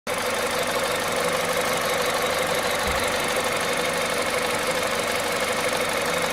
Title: bruit moteur froid VTI 120 à 98500KM.